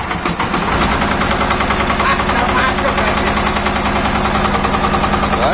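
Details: Yanmar TR190R diesel welder engine after bleeding air from fuel system and injector: catches and settles into steady even idle thump without stumbling; running normally, no-start fixed.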